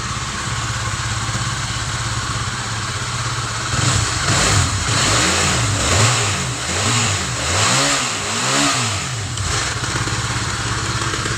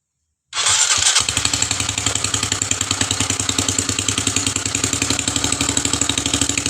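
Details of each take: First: Honda CB150 (old) motorcycle engine after full rebuild for a seized piston rod, cylinder head cover and radiator refitted: even idle, a few quick throttle blips, then steady idle. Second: Rebuilt Honda CB150 single-cylinder engine, run with the cylinder head cover off to check oil circulation: sharp, rapid puffing like a leaking exhaust, from the open low-emission (secondary air) valve. It should be quieter once covered.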